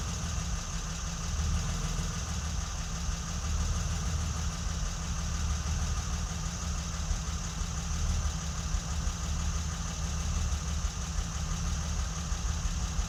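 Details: Low, steady idle that wavers and stumbles now and then on a BMW E30 M20B27; fuel pump intermittently losing power at a bad connector.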